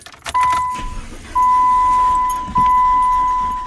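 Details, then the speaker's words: 2009 PT Cruiser with about 106,751 miles, cranking but not starting: the starter spins with a steady, odd-sounding whine over repeated tries and the engine never catches. A failed timing belt is suspected given the mileage. "and I mean, you can kind of tell it sounds kind of funny, but let's see how many miles. So the car has about 106,000 miles and 751. So I mean, usually that's kind of around where the timing belt area is."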